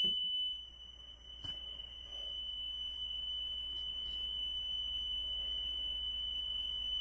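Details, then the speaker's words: 1980s reference tape deck with high-precision speed control plays back a recorded 3000 Hz tone. On the highest sensitivity range the deviation peaks at about 0.1. The tone is clean and steady with no audible wobble; normal, low flutter. "i'm on the highest sensitivity range and you could you could see that i was peaking at point one on the playback"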